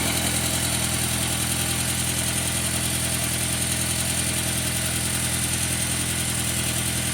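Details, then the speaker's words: 2002 VW Passat 1.8T after engine swap, second start with front end on: steady idle with sharp ticking puff about three times a second; suspected exhaust leak, location unknown. "Sounds like there's definitely an exhaust leak somewhere."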